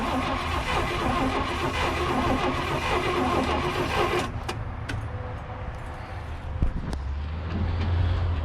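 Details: 1979 International Scout II sitting 20+ years, new battery and switches, had lost spark; starter cranks in uneven bursts for several seconds but engine never catches; cranks, no start, cause not confirmed.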